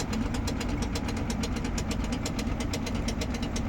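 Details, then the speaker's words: Samsung WindFree 12,000 BTU air conditioner two days after installation: steady drone with fast uneven buzzing rattle, worse at low speed at night, stopping when held; owner suspects loose, badly fitted mounting screws. "Eu tô achando que esse parafuso folgado quando eu seguro, paro. Ele começa a tremer quando tá embaixo a rotação de noite uma zoada arretada."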